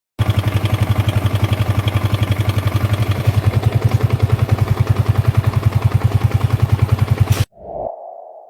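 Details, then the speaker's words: Small single-cylinder motorcycle at idle before repair; steady fast thrumming with rough rattly edge on each pulse, klek when stopping; mechanic first suspected crankshaft balancer but found loose cam chain tensioner letting chain slap. "Coba teman-teman dengerin dulu lah ini suaranya mengerikan teman-teman ini suaranya bisa halus halus Kalau berhenti bunyi klek gitu teman-teman jadi punya kasa"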